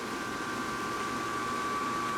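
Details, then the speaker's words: Cheap pellet smoker running on a new replacement control board and igniter: steady, even fan rush with a constant mid-pitched hum and no knocks or scraping while pellets feed, igniter cherry hot, drawing 1.80 amps; fan and feed sound healthy. "We've got pellets feeding. I hear them dropping in there."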